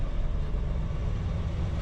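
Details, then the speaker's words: 1968 Ford F100 old V8, first crank of the day after sitting a while, given a little gas. Deep even low rumble, steady exhaust note, no misses or knocks; quiet, good exhaust, normal exhaust rumble. "Not much rumble. It's got a great exhaust. Got a great exhaust on this old car."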